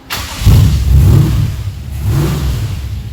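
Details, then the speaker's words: Holden HT engine, first start after fixing a bent part that was hitting, run without coolant: cranks and catches immediately, settling into an even rumbling idle with no knocking or scraping; the noise is gone. "Woohoo! Fucking fired up straight away. That sounds better."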